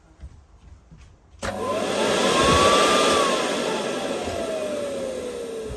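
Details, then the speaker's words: Miele S312i vacuum cleaner, first switch-on at full power before cleaning: motor whirs up to a steady high whine, then settles smooth and even with no rattle or grinding; sounds healthy. "I don't think it's spat that much out to be honest. Sounds quite good to be fair."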